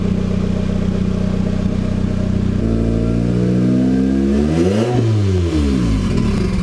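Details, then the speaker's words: Nissan 240SX S14 KA24DE turbo build on first startup, with new 550cc injectors, wideband and ECU, revved in neutral without load: revs climb unevenly, falter and sag near the top; stumbling or wanting to stall, cause unconfirmed. "but seemed to be stalling out or wanting to stall out when I was revving it a bit there"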